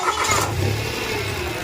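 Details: Mitsubishi Mirage after a no-crank, no-start issue was solved. A brief crank, then the engine catches straight away and settles into a steady run with a light rev. Normal start.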